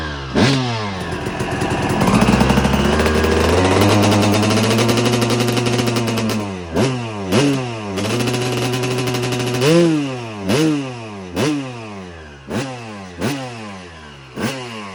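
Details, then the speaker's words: 2002 Suzuki RM250 two-stroke after full motor swap, second heat cycle, half throttle or less with a couple high revs, idle dialed in: crisp blips returning to steady idle; normal idle and revs. "You can hear the idle's much better now. Got it all dialed in."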